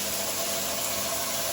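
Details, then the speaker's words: New Mira Sport air boost electric shower, just installed as a direct replacement, running with air boost pressed: a steady even hiss over a constant hum, slightly noisier but giving more pressure. Normal operation. "Right, this button here, press that, you get the little air boost. It's a little bit noisier, but you get a little bit more pressure."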